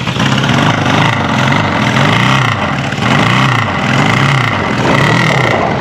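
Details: 1974 Honda CB550 four on first start during restoration, tank off, fuel primed into the cylinders bypassing the carb bowls: catches and revs up and down in uneven waves for a few seconds, running only on residual fuel in the tubes.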